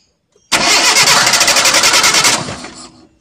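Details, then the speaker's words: Fuel-injected car with D-EFI (MAP-sensor) injection, faulty MAP sensor fitted: engine catches and revs roughly about two seconds then dies; suspected cause is intake air not detected, making the mixture too lean or too rich. "Yang kedua kita pasang dengan yang rusak kita pasang dengan sensor yang rusak seperti apa perbedaannya kita hidupkan ya mesin langsung mati"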